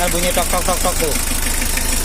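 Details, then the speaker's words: L300 diesel idling just after adjustment, not revved, smoothing out the longer it runs. Fairly even low clatter with steady pulses and no harsh knocks. Normal idle. "ini mesin nyala setelah diukur tambah lama tambah rata nih"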